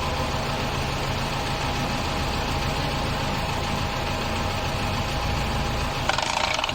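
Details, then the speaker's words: VW Amarok differential with the hub held: steady drivetrain hum turns into a harsh rattling grind as the diff lock engages; planetary gears stripped inside despite replaced actuator, diff must be opened to replace them. "But you can hear the stripped gears on the inside."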